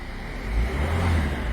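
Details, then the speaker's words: Ford Fiesta 1.4 TDCi DV4 68 hp diesel after injector seals replaced, restarted: short clean rev rise, smooth and even with no rattle or ticking; sounds as original, then left to warm up. "voilà vous avez pu lui un pelage avait un bruit qui correspond à l'origine pour elle donc maintenant on va laisser tourner pendant dix minutes un quart d'heure laisser chauffer tranquillement"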